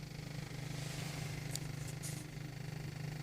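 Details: 1.8 TSI at cold idle, heard only inside the cabin near the passenger side, lower right glass and glovebox area: a quiet, low drone with a faint, rapid buzzing rattle. It disappears with a little throttle and once warm; no error codes are stored. Source unknown, debris suspected.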